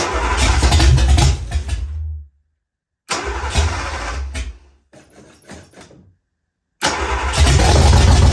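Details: Ford Fox-body Mustang, rebuilt 302 V8 with new cam, second start with a little gas in the bowls. Catches and runs rough in uneven bursts, dies twice, restarts: rough running from incorrect ignition timing; adjusting timing helped it idle.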